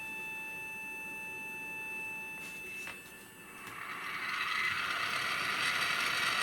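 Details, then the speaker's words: Smiths Industries Gyro Rate Unit 401 RGU-FA2 (1988) powered from a 117 V supply via a roughly 10 W DC-AC converter: faint tones, then a rough hissing whir builds and stays loud as the rotor spins up. The gyro is very noisy and not working properly, cause unknown. "Okay, the gyro is very noisy, as you can hear. It doesn't work properly, so I think that this thing doesn't work."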